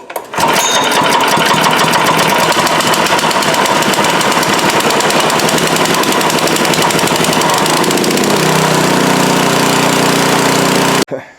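Small single-cylinder pops straight into a strong, even run with no misses, then settles slightly lower; it is running properly now.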